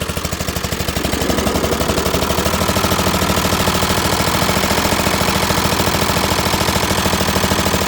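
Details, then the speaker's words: Dixon ZTR Kodiak SE mower on first start, loud harsh rapid popping putter at idle, much louder than it should be; owner suspects an exhaust leak, not confirmed. "Sounds like I got an exhaust leak. This actually helping it."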